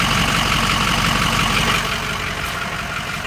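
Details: 6.0 diesel truck at steady idle with a regular light tapping close to three per second, like a sewing machine, best heard from a distance; owner suspects an injector, additive added, cause unknown.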